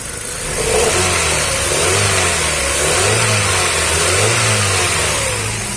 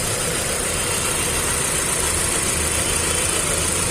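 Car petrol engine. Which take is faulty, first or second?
second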